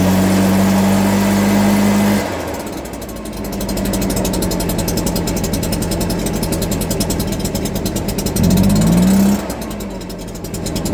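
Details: Stihl BR340 backpack blower after teardown, cleaning and carburetor work, on the customer's old fuel with no carburetor adjustment: it catches and holds a steady buzz with one clean rev-up and no stumbling; running properly.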